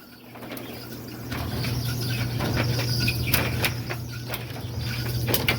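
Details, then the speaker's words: Whirlpool dryer model LEN2000KQ1 running: a steady low drum hum with a chirping squeak about four times a second as the drum turns. "It is time for us to figure out what causing this dryer to get all squeaky when it runs."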